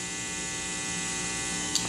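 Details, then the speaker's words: Bass guitar into Mitchell MB-200 / Fender Rumble amp: steady hard hiss with low mains hum, worse on one pickup mix and with EQ; owner first blamed guitar (grounding checked fine), but problem ended up being the amp, exchanged. "i get more hum and then the eq as well affects it and that high frequency hiss that's excessive over what the amp is producing by itself so the guitar is producing both of those sounds"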